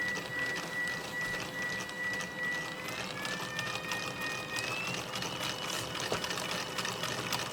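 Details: Stepper motor driven by Raspberry Pi spinning a 3D-printed helical cage gear cup at full speed: thin steady whine stepping up over gear chatter, noisy; owner suspects raising microsteps may reduce it.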